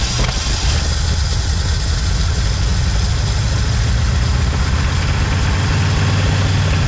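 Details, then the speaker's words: 1980 Ford Bronco first start in 18 months, fuel bowls primed by hand, possibly flooded with Seafoam: engine coughs, catches and idles loudly, running on primed fuel as fuel is not yet reaching the bowls. "well I hear it trying to poof out the exhaust so it's doing something my God it's coughing"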